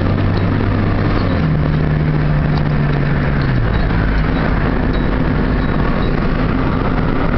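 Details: 1997 Honda Civic LX automatic with a check engine light for catalyst efficiency below threshold bank 1, heard stopped in Drive and while driving: a heavy, low rumble and deep drone that shifts with engine speed; owner suspects the muffler.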